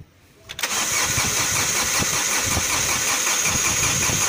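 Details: MG6 with 15E4E engine: starter cranks steadily at roughly three beats per second but the engine never catches; crank, no start, due to no power to the ignition coil.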